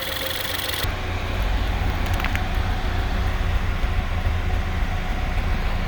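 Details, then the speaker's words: Ford Escape 1.6 four-cylinder idling, heard at the exhaust: uneven skipping puffs about three or four a second with engine shaking, one cylinder dead and misfiring; no fuel smell in the exhaust. "سامعين الصوت؟ صوت زي فرقعه، مش فرقعه يعني تفويته، بب بب بب بب بب. يعني معنى كده ان في سلندر اوريدي ميت، يبقى انا عندي دلوقتي سلندر ميت."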